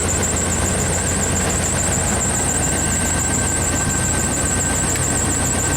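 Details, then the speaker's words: 1995 Pace Arrow Coronado motorhome on a Chevy truck chassis, engine idling after start: steady, even idle with a faint high whine. The alternator is charging at 75 amps into a severely discharged chassis battery. Normal idle. "So now I bet it should run. It should run fine. We're charging at 75 amps, that's good."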